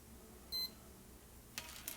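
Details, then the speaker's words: Kaiser MSA 6515BT speaker damaged mixer power supply, tested near the 7812 regulator: one short high continuity beep then silence as the part charges; not shorted, unlike the bad one that kept beeping. "you hear that it beeps and then it stopped beeping that means that something charged inside and it is working because it's automatically stopped the beeping"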